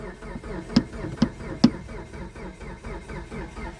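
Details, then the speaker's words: 2012 Mitsubishi Galant, 182,000 miles, battery charged at 13-plus volts, timing belt intact: labored slow cranking with heavier clunks, never fires; owner fears prior motor damage, plans new starter and crank sensor, cause unconfirmed. "Yeah. See, it still turns over slow. I'm thinking they already did some damage to the motor."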